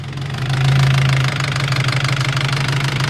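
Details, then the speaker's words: Nissan SR20 VCT engine in an S15, warm idle after a jump start, before the VCT sprocket was replaced: loud, fast, uneven metallic rattle, like it will fall apart; the cam timing sprocket is rattling, not the bottom end. "I'll show you what it sounds like now there's terribly loud sounds like the things gonna fall apart"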